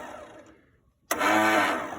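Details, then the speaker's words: Greenfield Model 11 ride-on mower, Briggs & Stratton 11hp, sat 5+ years, fuel dripped into the carburetor: brief silence then a rough churning crank that fades without firing; cranks but won't start, weak battery suspected. "Well, it looks like I'm going to have to play with it a bit more. I think I need probably chuck another battery on."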